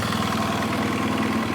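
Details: 2007 BMW F800S parallel twin, hot engine at idle: hollow, rhythmic knock keeping time with firing pulses, steady and even; piston slap, with a weeping head gasket also noted.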